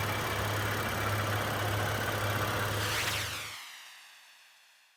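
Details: Honda Pilot after short block replacement for cylinder wall scoring that caused a knock: smooth, even idle with a steady low pulse and no knock or tick, then a clean shutdown; the replacement engine runs healthy.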